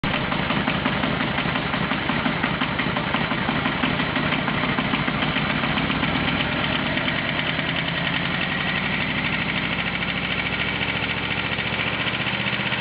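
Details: Aprilia RSV V-twin at idle with a loping beat and an irregular light knocking over it that settles slightly toward the end; source of the strange noise still unidentified.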